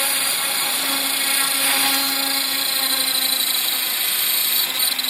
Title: Trex 500 esp bad vibration sounds on first hover